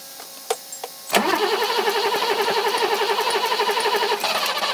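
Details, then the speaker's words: 1980s BMW E24 6-Series CSi, parked since 2001, restarted after the plugs were removed and dried. Catches after a few cranks into a lumpy idle with stumbles and a raspy exhaust. Misfiring; exhaust has holes. "it's alive though it's alive definitely alive that's what you wanted so it is it is misfiring interesting"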